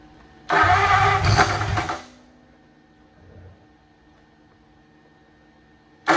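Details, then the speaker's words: 1927 Roadster flathead V8 cranking with ignition jumped to battery: brief ragged pops that never catch; they suspect the plug wires or firing order, possibly a crossed wire, and plan to check. "So this is what it's doing. It's popping like that."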